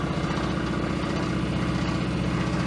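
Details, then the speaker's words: Engine after a suspected broken lifter or kicked-out pushrod, pinging at very low rpm: low, uneven idle with a deep repeating knock tied to crank rhythm that fades at higher rpm; rod knock. Oil pressure was in doubt. "Not at RPM. Oh, yeah. That's a rod knock."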